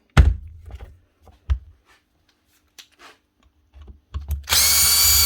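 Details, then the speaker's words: Milwaukee M18 ONEFHIWF12 / 2863 cordless impact wrench with seized motor: clunks, stuttering bursts and a harsh high whir as it tries to run; hopefully a failed rear bearing that has jammed the motor. "Hopefully, it was a bad bearing. And it's now jammed up the motor."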